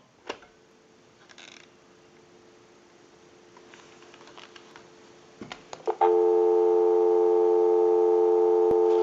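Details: Western Electric French-style desk telephone after repair, final checkout on line out: after a few clicks a steady, clear dial tone holds without crackle or dropouts; normal dial tone, line circuit works properly.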